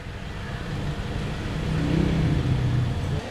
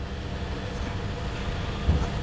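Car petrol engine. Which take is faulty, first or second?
second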